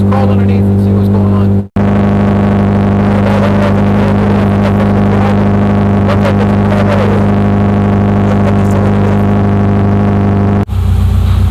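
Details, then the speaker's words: 2009 Subaru Forester revving with a broken exhaust pipe: very loud, raw low drone with no muffling at all as exhaust vents straight out. "so as cool as that sounded I hope I didn't hurt anybody's ears or blow anybody's earbuds or ear pods uh and I really don't think that the neighbors would appreciate this cuz it is super loud"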